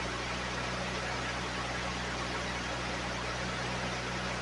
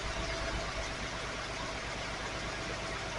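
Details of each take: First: 1980 Datsun 280ZX inline-6, sitting since about 1997 and started for the first time, fuel pump heard: a steady, even idle with a smooth low hum and no knocks, misses or ticks; sounds like brand new; normal idle. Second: 1980 Datsun 280ZX inline-six (manual), first run after about 26 years of storage, at steady throttle: a lumpy idle with an irregular stumble about three times a second as one cylinder isn't firing yet. A stuck injector or fouled plug is suspected.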